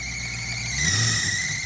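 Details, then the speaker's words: Classic Range Rover 3.9 V8, abandoned for years, first start on suspect old fuel: thin, steady high-pitched squeal over the engine as revs rise; belt suspected (sounds about to fall off), not confirmed. "No, I think it's a belt. It sounds like a belt's about to fall off it."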